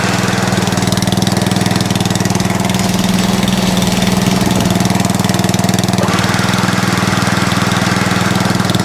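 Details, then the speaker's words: Atco Balmoral cylinder (reel) mower running: a steady mid-pitch engine thrum with a slight rhythmic chatter about twice a second. Minor drive belt chatter; owner calls it no biggie. "okay that's about the best we're going to get so it's a bit a little bit of belt chatter going on there on this one here that's all it is um no biggie"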